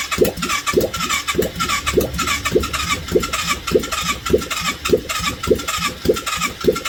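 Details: 1989 Yamaha Virago 535 V-twin after 4 years parked, running with no exhaust fitted, idling on full choke: loud open-pipe popping in an even beat, about two pulses a second; runs cleanly.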